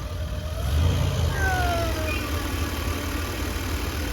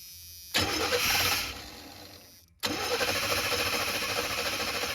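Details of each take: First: Chevy G20 conversion van: engine swells briefly then settles into a steady, even idle with no stumble; a big difference from before, when it sounded like it ran on six cylinders, good oil pressure. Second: Chevy G20 conversion van, fuel system being freshened, old fuel smelled terrible: two bursts of even starter chugging, about three a second, never firing; cranks but won't start, one injector sprays while the other does nothing.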